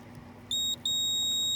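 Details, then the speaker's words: Goodman gas pack compressor, meter continuity test: short high beep then steady continuous beep from start and run windings to ground, common not; compressor windings grounded. "looks like the start has enough of a ground in its winding to make it beep common does not and the run does so the start and the run are both giving us"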